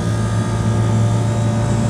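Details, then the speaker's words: Commercial package unit, customer reporting a squeaking noise, after the indoor fan belt was replaced. A heavy, steady rumble and droning hum from one condenser fan motor drawing 2 A versus 1.9 A on the other. Loud fan motor noise. "So, this one is pulling a little more amps. And I bet you that's the motor that I think is bad. That's got the loud noise."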